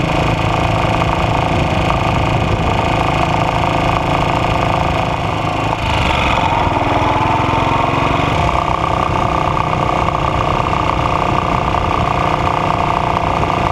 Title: Ajs model 8 engine Knock